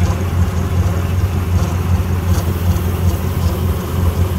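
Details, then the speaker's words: Honda Civic EK four-cylinder after a new timing belt and tensioner: low, fairly even idle with a soft pulsing beat and no ticking or knocking; owner suspects a bad IAC valve causes its initial idle trouble, fine after it sits. "So we got it running again. It sounds good. So it sounds happy."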